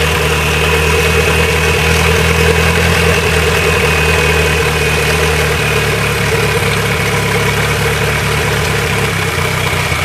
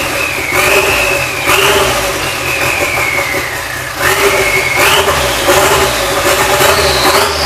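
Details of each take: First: Nissan Sentra GA16DET turbo four-cylinder after a head gasket replacement, warm after driving and not overheating: idle with a slightly uneven, lumpy beat and a faint wavering hum; runs a little rough, cause not pinned down. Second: Nissan Sentra GA16DET turbo, first start after a head gasket replacement with fuel pump and SAFC on: several quick throttle blips, revs climbing and dropping back cleanly with no stumble or knock; runs normally, timing seemed on point.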